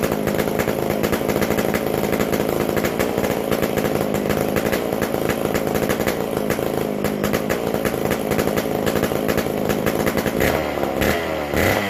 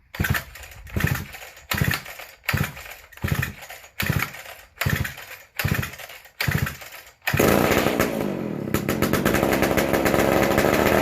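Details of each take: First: McCulloch Super Pro 125C chainsaw; loud raspy steady high rev, crisp and even, runs well, noisy because the muffler-to-exhaust gasket is still missing. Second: McCulloch Super Pro 125c chainsaw, first fire after cleaning, intake boot and new old stock muffler, on high speed: pull bursts then a flat, high, unsettled scream; non-adjustable carb, runs lean as if short of fuel.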